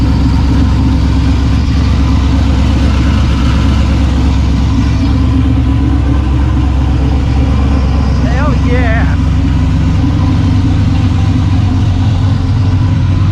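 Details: Maliboom freshly rebuilt engine, first fire, exhaust opened: loud, deep, steady rumble with even pulses; fires cleanly and holds a healthy, steady idle.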